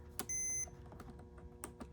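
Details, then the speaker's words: 1993 Saab 900, fuse check with a multimeter: two sharp, high, steady continuity beeps of about a third of a second with faint clicks between, confirming the fuse is good; no continuity would mean a bad fuse. "and you can tell if all your fuses are good because if they don't have continuity then you know they don't have a connection and that they're bad"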